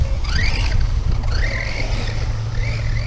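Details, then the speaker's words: Redcat Landslide XTE RC truck jumping ramps: a thin whine rising and falling with throttle over tyre rumble, a drivetrain whine the owner thinks may have begun after a camping trip. Cause unknown. "Can't remember if something was wrong with this truck last time I drove it or not. It's got a whining sound."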